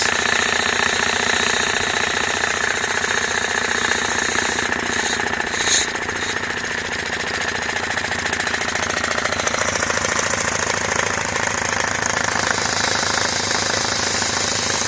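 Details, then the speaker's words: Homemade belt-driven compressor on a 240V motor, started with the release valve open: a harsh, fast chattering slap persists as load builds, because the drive belt is misaligned and needs more tension. "And this is start up with the homemade compressor. The belt's really noisy because, I don't know if you can see, it's out of whack."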